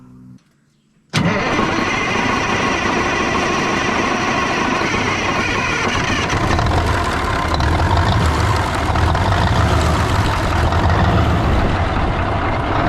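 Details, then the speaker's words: 1980 Peterbilt 359, Cat 3408 diesel revived after years sitting: starter catches after a second, then a steady even diesel clatter settles in with no knocks or misses; 80 psi oil pressure, sounds good. Normal idle. "That thing sounds good. It sounds good. Dude, that thing sounds good."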